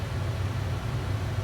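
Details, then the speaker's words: Dometic furnace in a 2020 Winnebago Micro-Minnie 2108DS after sail switch work: thermostat raised to 79, fan on auto, furnace kicks back on, sail switch engages and ignites; steady low blower rumble with even burn, no rattles or surging; normal running. "you should hear this thing kick back on you should hear that cell switch engaged you're ignited"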